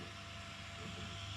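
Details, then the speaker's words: Dodge SRT4 after installing an upgraded dual fuel pump assembly, relay jumped on battery, about 40 shown: steady even hum with low drone, no surging or rattle, some fuel-flow sound, no leaks; normal operation. "Fuel flowing through there. It's not too bad. A little bit of sound there, but the best part is no leaks."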